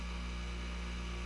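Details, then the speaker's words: 120 V AC dishwasher motor (rated 3350 rpm) on a new mount, fed through a variac at about 35 V and 0.3 A: very quiet, steady low hum with no knocks or rattles; it runs smoothly with plenty of power. "can you hear it no I'll slow it down that's got a lot of power there at that rpm"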